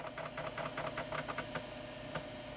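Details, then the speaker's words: 33-year-old 1989 Philips PCL 304 i386sx laptop floppy drive, feared stuck head or broken belt: steady whir of spinning disk with quick regular head-seek ticks about ten a second, then quieter; healthy drive, boots floppy. "oh I can hear it it's definitely spinning and I can hear the head accessing stuff"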